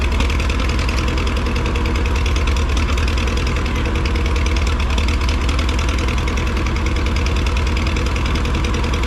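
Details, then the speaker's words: Massey Harris 30 tractor, out of gear, started with spray: loud, low, uneven chugging idle with a knocky edge; rough running from oil in the cylinders, from penetrant sprayed during cleanup, burning off. "There's a lot of oil in the cylinders Dude, still. you just gotta burn that shit out."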